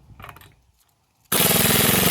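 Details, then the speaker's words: Harbor Freight Earthquake XT 1/2" stubby air impact wrench at 90 PSI, moving up to settings two and three while loosening car lug nuts. Quiet handling, then a sudden loud, rapid, even hammering rattle as it spins the nut; working properly. "that's two which works really well and then three I'll just let's see yeah there we go"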